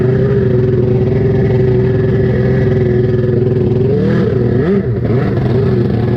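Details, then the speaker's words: Rebuilt SuperFreak two-stroke watercraft on the water after more carb tweaking, running worse than a few days earlier: loud, ragged drone that wavers and stumbles as revs change. Poor running from faulty carburettors. "All right, we've tweaked on the carb some more. Let's see if it's running better cuz it is not running as good as it did the other day."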